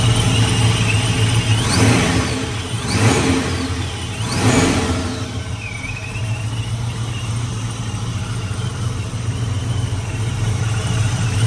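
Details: 99-04 Mustang GT/Cobra V8 with ProCharger after new serpentine belt and smaller pulley install: fires, revs up in a few blips, then settles into a steady, even idle with a faint supercharger whine; runs healthy.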